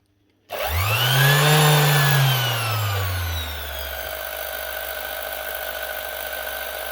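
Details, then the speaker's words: Makita BO6030 Velcro sander from 2021 that runs too slow: the motor spins up with a wavering, hunting pitch, then settles into a lower, uneven, spluttering whir; speed controller suspected, not confirmed. "It's the same sort of spluttering sound. This is definitely running a lot slower on a lower speed, so we'll chance the speed control before we do anything else."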